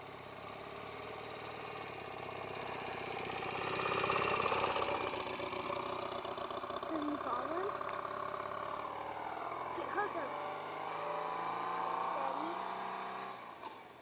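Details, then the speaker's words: 1978 BMW R100/7, stock 1000 cc boxer twin, 67,292 miles, Mikuni flat-slide carbs from an R100RS, burns no oil: steady, even idle with a smooth regular beat, no knock or misfire; runs healthy. "Doesn't burn any oil. These are Mikuni flat slide carbs. These were also off of a modified R100 RS. Put them on here, and it runs great, as you'll hear in a few minutes."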